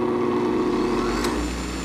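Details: Vintage electric motor started through a resistor current limiter with about 1/6 of the resistor still in circuit: steady mid-pitched hum and whir with no wobble or surge, reaching full speed and running smoothly; normal running.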